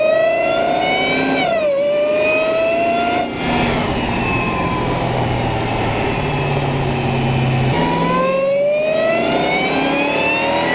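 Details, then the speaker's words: Dodge Hellcat on the road after a Legmaker (LMI) intake install: a loud supercharger whine climbs in pitch with each burst of acceleration and drops as revs fall. The supercharger is singing strongly, as intended. "Yeah, it sounds like a freight train going like that. I mean, a freight train doesn't actually sound like that, but you know, it just keeps on going. I love that sound. That supercharger sound."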